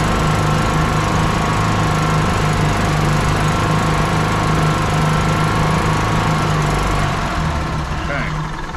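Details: 1996 Club Car DS gas golf cart single-cylinder engine, just restarted without choke after reassembly, runs loud with an uneven, lumpy beat and wavering speed instead of a smooth idle; running rough.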